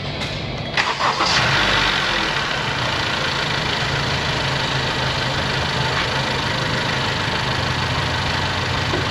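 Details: Car battery tested at 12.7 V and 86% with 465 cold cranking amps, then engine started to check charging (14.2 V, 17 mV ripple): brief crank, fires at once and settles into a steady, even idle; normal start.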